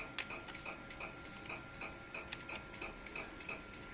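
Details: 1 TB hard drive: light, crisp ticks about three a second, unevenly spaced, over a quiet background, from the heads retrying damaged bad sectors during read and write.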